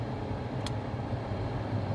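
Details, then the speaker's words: 2012 Toyota Prius V, fan on: low, steady rumble from behind the dash that changes with fan speed; blower motor possibly off balance or with a bad bearing, still blowing air; fix is replacing the blower motor assembly. "it sounds like something's off balance or maybe a bearing's gone bad something like that"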